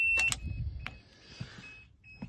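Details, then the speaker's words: 1988 Toyota Land Cruiser FJ62 cabin: thin steady buzz near 2.7 kHz from added buzzer in fuse panel sounding when lights on and key off; lights-on reminder working. "if you turn your lights on with the key on everything's fine turn your key off you can hear that buzzing sound it's like a reminder to turn your lights off"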